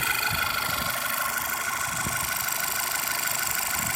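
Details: Petrol engine idling with a light tick about three times a second. After Seafoam in the oil and about 30 miles it sounds quieter, but the ticking remains.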